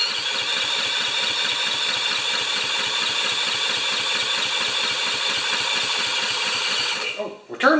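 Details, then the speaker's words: 196cc single-cylinder plate compactor, previously seized, started on choke after repair. It settles into a steady, even, rapid beat with crisp exhaust pulses and the clutch engages; it sounds pretty good: normal running. "she might run gentlemen and lady so so sounds pretty good actually clutches too okay i call that a success"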